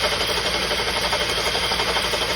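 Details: 2007 Honda 2.2 (CDV) at idle, loud fast even knock steady over a busy idle with no speed change; cause unknown.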